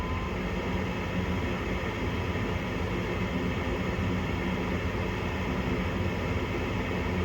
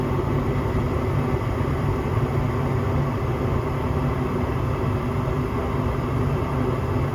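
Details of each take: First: Home gas furnace short cycling, dirty flame sensor (flame rectifier) later found: inducer motor running and closing pressure switch, igniter called; steady low hum, even drone, no knocks or squeals. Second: Home gas furnace after cleaning the dirty flame sensor (flame rectifier): steady low rumble of burner and circulating blower, no cutting out or surging; flames good, short cycling fixed, normal operation.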